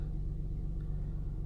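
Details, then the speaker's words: Car with one coil pack on the passenger firewall side (cylinder 2 or 4) deliberately unplugged; low lumpy idle stumbling unevenly right after start, no check engine light yet; misfire from disconnected ignition coil. "Right away I feel it running rough, so that check engine light might come on."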